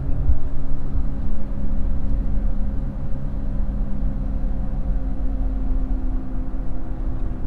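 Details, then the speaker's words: GMC Envoy/Trailblazer cruising around 45 mph: steady low drone and whine like big mud tires, changing as turns load and unload the right side, from a worn front wheel bearing hub, replaced afterward. "know if you can hear that whining noise it kind of sounds like I've got big mud tires on"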